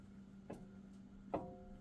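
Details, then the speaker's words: 2018 Jeep Wrangler Unlimited Sport, front axle passenger side rocked by hand: two sharp metallic clanks with brief ring from a worn universal joint at the front differential, visible movement; needs replacement. "and see how I can let me get see how you can hear that clanking. So that universal joint is starting to go."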